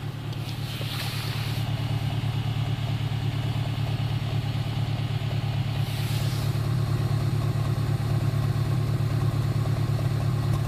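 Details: 2008 Honda Civic Si at cold idle: a steady pulse of low pops, roughly three per second, in time with the engine; cause not yet known.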